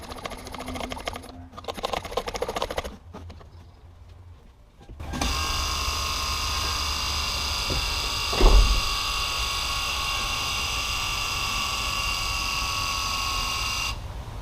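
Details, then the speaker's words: High-mileage Lexus GX470 during a brake fluid flush: the electric brake actuator pump whirs steadily for about nine seconds and then shuts off cleanly. This is a normal pump run, meaning the system is ready for bleeding. "Okay, so that's the sound you're looking to hear. That's the pump running. Once it shuts off, that means you're ready to start bleeding."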